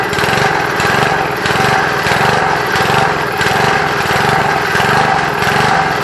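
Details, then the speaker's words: Briggs & Stratton single-cylinder engine on a Trim Rite Lawn Keeper edger, air filter and housing off, surging badly, rising and falling about every second; seems lean, smoothing only with the choke nearly closed. "Alright guys, as you can hear, it's surging real bad. Sounds like it's running a little lean, because I had to close the choke all the way almost shut to get it to smooth out, but I don't have the air filter and stuff on it."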